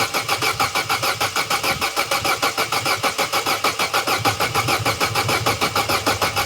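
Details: Vauxhall Corsa B that sat neglected 4-5 years, cranking after fitting a new battery: steady, even, healthy cranking about 160 turns a minute, never catches or fires. Cranks but no start.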